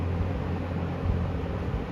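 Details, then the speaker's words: 1974 Kmart (Lakewood) P23 20-inch box fan on medium, oiled before purchase, heard from about 6 feet: smooth steady low hum with soft air rush, no rubbing, rattling or wobble; nice running harmonics, healthy. "It has very nice running harmonics. I think they sound great. It was oiled before I got it."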